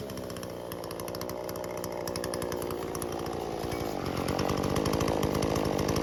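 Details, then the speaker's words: Husqvarna 120 Mark II chainsaw, carb adjusted, cutting about 15-inch log near its limit: bogs into steady deeper drone then holds; normal labor for this small saw. "these saws aren't power horses or anything so you can cut you can cut wood this size but you will hear the saw labor even with the carb adjusted"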